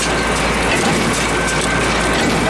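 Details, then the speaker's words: PTO-driven hay baler just idling, which should be smooth, with a constant clatter and a heavy thump about every 1.5 seconds that slows the drive and chain; the cause is unconfirmed. "All right, that noise is bad. It's not good. It slows everything down. That shouldn't hit so hard."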